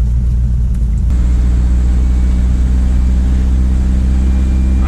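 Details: Turbocharged Toyota Pickup on test drive after new turbo install and oil return leak fix (o-ring and silicone, oil slightly overfilled): strong even engine drone under load with faint rising whistle, turbo spooling normally.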